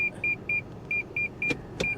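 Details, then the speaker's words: Nissan 350Z at auction walk-around: quick high-pitched parking sensor beeps, about four a second, repeating without letup as the backup sensors go crazy. "backup sensors are going crazy"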